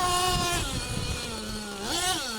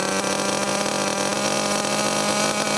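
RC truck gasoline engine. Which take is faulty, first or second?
second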